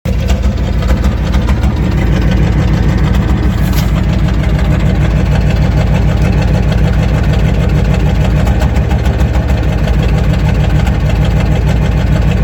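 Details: 1994 Ford F350 IDI non-turbo diesel idling with an uneven, lumpy beat, about a hundred pulses a minute, some strokes weaker; popping misfire under acceleration, clears in top gears, smoke, stumbling and stalling; fuel filter, return lines, thermostat replaced; compression untested.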